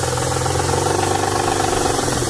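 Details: 1992 Nissan 300ZX naturally aspirated engine running: sharp rapid knocking over the exhaust note, deep in the block, started suddenly out of nowhere; cause not yet known.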